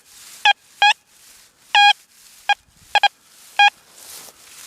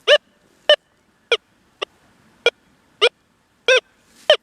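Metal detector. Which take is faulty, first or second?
second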